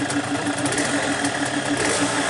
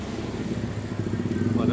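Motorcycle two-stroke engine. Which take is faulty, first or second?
second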